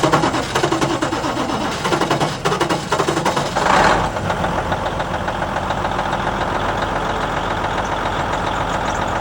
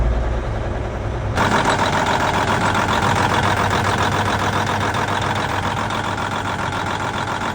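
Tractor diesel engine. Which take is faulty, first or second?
second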